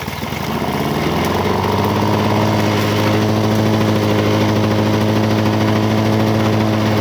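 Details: 1985 Lawn Boy 7350 two-stroke mower, revived after sitting outside years, on tall aftermarket wheels cutting thick weeds; even, steady burble at constant pitch, no misses; owner calls it real good running but may adjust the RPM.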